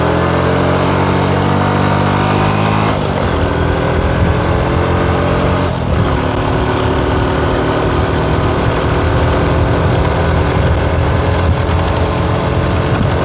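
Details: Honda Supra X 125 Karisma lacking power, losing pull on climbs, reaching only 60–70 in 2nd uphill and topping out at 80–90 in 4th at full throttle; revs high but pitch barely climbs; slipping centrifugal clutch, suspected worn clutch shoes and bell.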